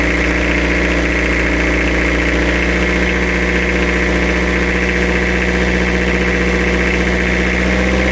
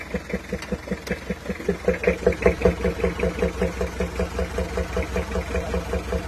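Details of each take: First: Toyota Kijang diesel after engine rebuild with new AR-brand pistons: smooth steady idle and one clean throttle blip, no tapping on lift-off or air-filter bok-bok noise as before. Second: Compression leak at the valves on a Toyota Kijang diesel: bok-bok puffing at the air filter about 2.5 beats a second over idle, worse on cold mornings, with blow-by; valves to be readjusted, engine overhaul planned.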